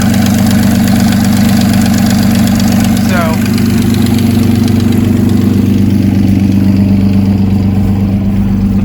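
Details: 2004 Nissan Maxima with stalling and fast idle issue, bank 2 sensor wiring being checked for suspected rub-through: low, uneven idle with a wavering drone about three times a second; rough idle.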